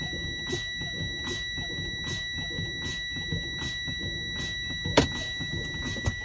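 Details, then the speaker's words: Air brake inspection on a combination truck and trailer: fanning the brake pedal to drain air pressure, the low-air warning buzzer sounds steadily at 60 psi (required between 60 and 80, before 55 psi) amid pedal air puffs; warning working normally. "And between 60 and 80 psi, I should hear the low air buzzer and see the light on the dash. This should happen before 55 psi."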